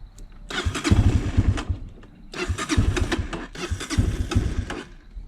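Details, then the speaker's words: 2003 Honda CRF230F, bogging and leaking fuel after shutdown, starting easiest on full choke (running lean): engine fires and revs in three short surges, each sagging toward dying, unable to hold idle; the carburetor is to be cleaned, rebuilt and re-jetted. "Yeah, this does not want to stay running."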